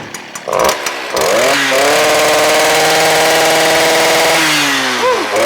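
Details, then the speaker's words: Warm 2-stroke string trimmer revs very high with a thin, choked exhaust note and barely any exhaust from the muffler; clogged spark arrester screen. "you can hear that it was revving really really high put my hand over the muffler not much exhaust coming out it's kind of just like barely coming out"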